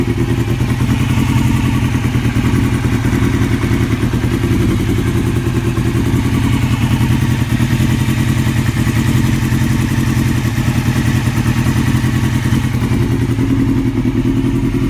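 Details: 2002 Yamaha R6 inline-four idles with a fast, light top-end ticking from around the cams, present since purchase. The cam tensioner was replaced with an APE manual tensioner; the owner hopes it isn't the valves. Cause unconfirmed.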